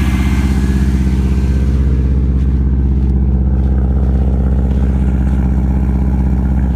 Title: Bad noise part 2 - cold start sounds like this until 160-170* and up